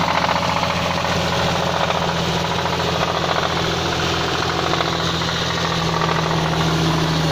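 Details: Nissan VQ35DE 3.5 L V6 with variable valve timing, 350Z/G35 convertible engine, idling: fast hard metallic knock on every crank revolution, connecting rod knock.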